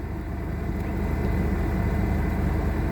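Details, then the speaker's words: 2001 Chevy Blazer revived from crank-no-start, low on gas, left running to reach operating temperature; steady low rumble at even idle, no misses, knocks or stumbles, normal idle. "but let me let it run up to operating temperature"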